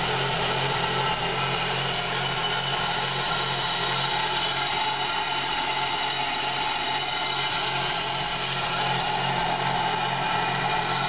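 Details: 2001 Pontiac Grand Prix GTP, recently bought, had stalled on the freeway. Its IAC valve was found faulty and was tapped to restart it, and jerking and hard shifting followed. Idle has a lumpy, uneven pulse in the low rumble; cause not pinned down.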